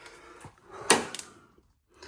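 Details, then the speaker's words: Whirlpool Duet WFW9450WW00 washer, after cleaning the door lock and securing a loose latch to fix error F15, starting a cold quick wash: one sharp click as the door locks, then quiet; normal lock engagement. "you hear the click. It's locked. says door locked."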